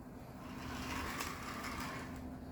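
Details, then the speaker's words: Thomas and Friends Toby model locomotive on test track; thin motor hum with uneven rattling and scraping as it struggles along, runs roughly; suspected to need wheel cleaning and oiling. "Toby's running I'm not going to say that he's running well but I believe he probably just needs a little bit of a wheel cleaning and some oiling and I think he'll be ready to go"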